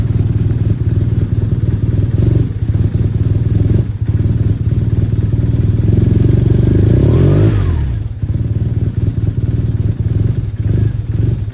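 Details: 2011 BMW R1200R boxer twin: uneven, lumpy thumping idle with stumbles, a brief rev and the beat missing now and then; rough idle with misfires.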